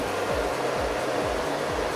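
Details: Blower of a Chinese air-conditioning unit retrofitted to a 1995 camping-car, running at full speed on batteries in full sun; steady even rush with no rattle, squeal or grinding; healthy.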